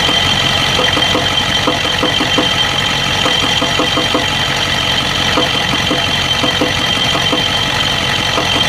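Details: 1992 Ford 7.3 IDI diesel at idle: rough idle with steady rapid injector-like ticking knock and uneven beat, random misfire with intermittent blowby; teardown found second piston rings broken in half on two pistons and one bad valve guide.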